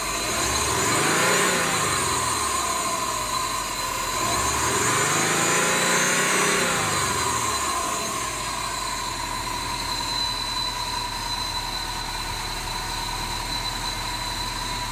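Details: 2005 Subaru WRX, two quick revs settling to idle with a thin steady high-pitched tone on top that doesn't follow engine speed; strange engine sound, source unclear.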